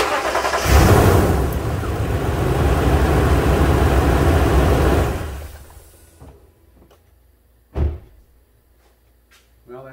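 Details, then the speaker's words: 2009 Toyota Tundra 5.7 after starter replacement for intermittent no-crank: brief crank, catches at once and settles into even idle before switch-off; normal start. "well the Moment of Truth we'll see if this thing will start"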